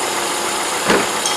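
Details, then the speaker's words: Ford Escape with a P0455 EVAP code, new purge solenoid commanded 100% open at idle: a steady airy hiss showing vacuum is flowing and the valve opens properly. "like I said we open this 100% it should be hissing and here just open right now"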